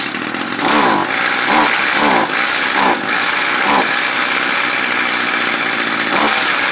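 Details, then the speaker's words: Stihl FS 55R trimmer, two-stroke, during carburetor adjustment: high buzz sags and stumbles every second or so under throttle instead of holding revs; bogs, adjustment did not cure it, likely needs a new carburetor. "this one is bogging down when you hit the gas it bogs out so you'd be turning it counterclockwise sometimes it runs rich"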